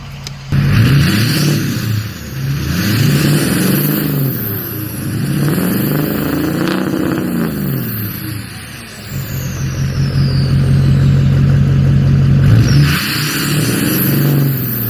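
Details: 2006 Ford F350 6.0 diesel after fixing code P2262 (broken MAP sensor nipple on the intake) and clearing codes; repeated free revs, each with a clean whistle climbing and falling with engine speed: turbo spooling normally, though the owner still expects to replace the turbo.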